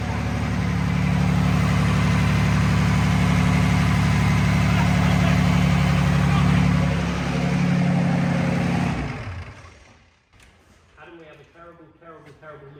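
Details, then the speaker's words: Diesel engine on a workshop run on a cold day, revved hard: deep fast even throb from a universal joint left on by mistake going out of balance; it then smashed a casting off the side of the engine. "We forgot to take this UJ off. The UJ then went out of balance because we were revving it rather fast."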